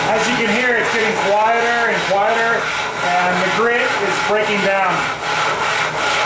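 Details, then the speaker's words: 12.5-inch telescope mirror hogging with sub-diameter tool on spin/fixed-post machine: rasping scrape rising and falling each stroke, sounding thinner as grit breaks down; needs recharging by sprinkling more grit and probably water. "and it's it's suppos to uh need to be [Applause] recharged at this point you can just spring sprinkle more GD on there and continue"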